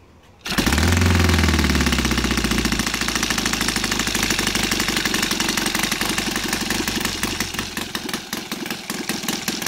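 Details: Saito FA270T with CH ignition, converted to gasoline on a 20:1 synthetic-oil mix, TF 20x10 prop, idle 1000–1100 rpm: strong, even popping firing rhythm settles into a steady idle after start, no knocks or misses; normal idle.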